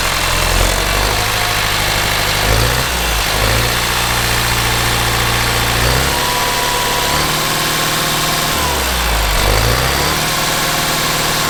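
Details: Kubota M15GX engine idling after a full engine rebuild, no coolant added yet; even diesel chug with small speed wobbles, no knocking or rattle; owner wants to gauge actual oil pressure; normal idle.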